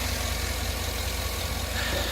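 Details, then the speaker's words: 2013 Cadillac Escalade AWD Premium V8 after oil pressure sensor replacement, oil pressure reading 48 psi: smooth, even idle with steady low rumble, no ticking or misses; normal idle. "I love driving this Cadillac Escalade around. Runs like a beautiful, beautiful machinery, piece of machinery."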